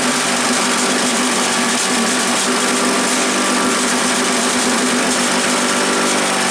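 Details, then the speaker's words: Earthquake chipper/shredder, small petrol engine, first start, choke on with a little throttle: constant buzzy drone at steady speed with no misses, rattles or surging; runs pretty good. "well it sounds like it runs pretty good I would say we go out in the yard and throw some limbs in it and see if it's going to chop anything up"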